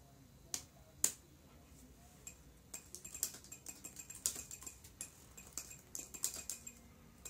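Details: Dell Latitude CPi laptop with the BIOS keyclick option on: quick irregular key taps on the internal keyboard, each with a tiny high-pitched PC speaker chirp; normal behaviour, not a fault.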